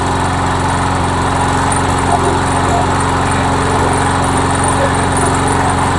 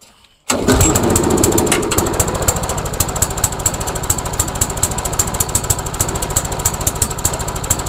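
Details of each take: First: MTD Yard Machine mower with a Briggs engine, after a head gasket replacement (it had been smoking and belching oil), primed and started: a steady, even single-cylinder putter with no misses. It now runs well. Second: MTD Yard Machines mower, small single-cylinder engine with replaced carburetor and gas tank, after priming: fires then runs uneven and lumpy as if heavily choked; owner wonders if governor is bad, cause unconfirmed.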